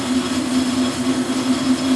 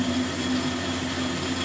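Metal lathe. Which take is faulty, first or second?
first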